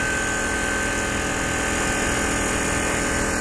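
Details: Goodman heat pump running in heat mode, likely low on charge with a suspected oil leak where a wire rubs the copper: loud steady drone with buzzing rattle and sharp tone from a warped vibrating ABS fan shroud and noisy Bristol compressor.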